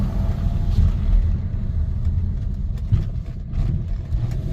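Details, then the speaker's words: 2013 Mercedes R500 with M273 engine accelerating: heavy low drivetrain rumble broken by brief irregular clunks as the transfer case chain skips; stretched transfer case chain, early stage. "like that sound if you get that sound you've got a timing chain a a transfer case chain that's stretched"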